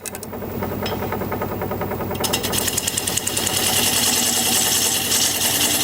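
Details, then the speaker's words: Jet wood lathe, about three years old, sped up to about 610 rpm turning sycamore: rapid chattering rattle about three per second building with spindle speed; owner suspects loose spindle lock handle, as before. "maybe i know how to fix it maybe i can fix it like i did the last time but jeez i shouldn't have to it was a last time it was a loose handle i've got my hand on the handle out here on the"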